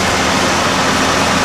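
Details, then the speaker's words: 1989 Ford F-150 4x4 5.0-liter V8, manual, cold start on 12-year-old battery, new timing chain and water pump a few years earlier; steady, even, quiet idle with no knocks or ticks; healthy normal idle. "It's got the good old 5-liter V8. It's got different kind of upper intake manifold than most of the other 5 liters have. It's actually got 2 intake hoses, which is kind of nice. But as you can hear, it's actually pretty quiet."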